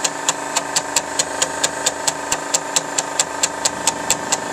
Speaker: And yeah, you can see the volume control. You can hear the amplifiers running.